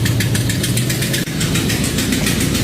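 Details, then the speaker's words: 2008 Dodge Durango idling with a sharp, rapid puffing tick of about eight a second, loud even inside the cab; exhaust manifold leak. "got a manifold that you can hear inside the truck really loud there you go"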